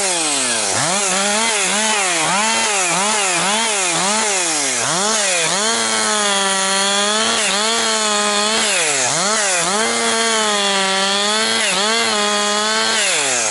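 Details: Husqvarna 262XP two-stroke chainsaw after rebuild, several tanks through it and breaking in, pushed harder cutting 4–12 inch pine firewood; crisp high scream bogging slightly in the cut, snapping back quickly on throttle; healthy under load.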